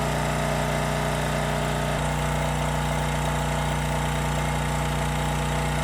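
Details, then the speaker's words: 5000 W Homelite generator with 9 hp Subaru engine at 2500 W half load: loud steady drone with harsh rhythmic rattle; owner first thought knocking, then suspects something vibrating on the machine rather than a true knock. "Now we're at 2500 W, so it's running fine. Although it did get pretty loud. Almost sounds like knocking."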